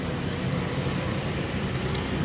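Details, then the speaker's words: 2012 Mazda 6s 3.7 Duratec V6, just reassembled after water pump and timing chain service, idles with a loud raspy low rumble and hiss; the exhaust leaks at the flex pipe joint because its gasket is missing. "yeah the only thing is i couldn't couldn't score that gasket so i put the pipe on just to run it but you know it's a little loud so i gotta try to find that gasket with the flex pipe nobody seemed to have it"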